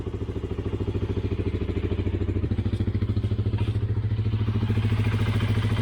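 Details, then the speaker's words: Honda CBR 125R 2012 single-cylinder test run after valve clearance adjustment and reassembly: steady even idle thump with a faint valve tick judged normal; knocking can be louder when cold, none heard now. "Wow. Yeah, I can hear a little bit the, how we call that, the valve, but that's a normal sound actually."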